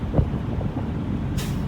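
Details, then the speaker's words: International ProStar with automatic transmission, idling during an air brake pre-trip inspection: low idle, then a short sharp sneeze of escaping air as the air governor cuts out, showing the air storage tanks are full. "okay now I'm listening for waiting for the governor to P the sneeze when it sneeze that tells me my air St tank is fill up with here"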